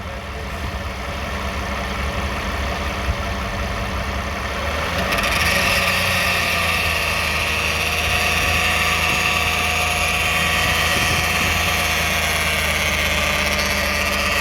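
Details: 2009 Toyota Sienna recorded from under the van: idling engine turns louder, harsher hiss and drone with light throttle; owner suspects flexplate or transmission area, flexplate thought okay, cause unconfirmed.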